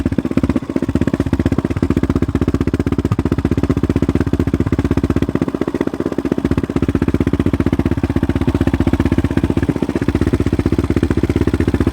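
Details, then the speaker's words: 2016 Yamaha Raptor 700 SE single with 11.1 compression piston and Hot Cam stage 3, idling, phone mic close to the engine, exaggerating it: fast, even sewing-machine tick over the thump; normal valve train clatter, checked by the owner and others. "I'll show you well, I'll let you hear the sounds of the valves. I'll get the camera pretty close. It'll probably over dramatize it a little bit because the speaker's right next to it, or the microphone. But it's a normal noise."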